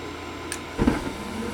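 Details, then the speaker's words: Gas furnace in for an igniter-on-but-no-gas complaint, now repaired and test-fired; after the igniter, the gas valve gives a sharp click and the burners catch with a soft whoosh, and the flame sensor confirms flame. Normal gas valve opening and ignition. "Gas valve clicked open, now we have gas. Over to the flame sensor, which is now sending microamps back down to the board, telling the board we now have flame."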